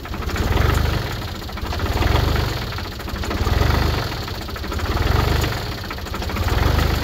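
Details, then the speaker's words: Diesel tractor just started cold after glow plugs, warming oil before running log splitter; low, even clatter swelling and fading about every 1.5 seconds; cold idle smooth and normal. "you know it's cold as I there we'll let that warm up get the oil warmed up so we can do the splitter"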